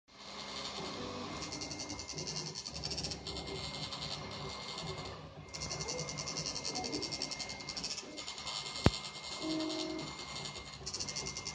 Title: Y-axis making noise on my new Prusa I3 mk2